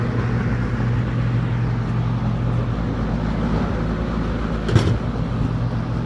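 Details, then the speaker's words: Eskimo box fan model 201083, once terribly out of balance from out-of-clock blades and a wobbly hub, was balanced off camera. It now gives a steady low motor hum with even airflow and no thump or wobble; running smooth. "It's ter It was terribly out of balance earlier, but off camera I balanced it."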